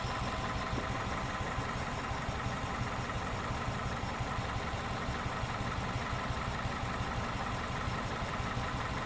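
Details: 2001 Toyota Corolla 1.8 petrol idling unevenly, lumpy beat of about three stumbles a second from a cylinder 3 misfire with no codes; suspected cause is low compression.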